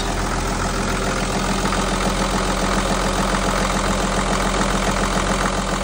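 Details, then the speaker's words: Marine Perkins diesel after a lift pump replacement and fuel bleeding: steady, even clatter at idle with no misses, a little sputter; brief knocking is leftover air in the fuel system. Normal idle. "Running beautiful. I think she sounds real good. There's a little sputter. Running nice and smooth."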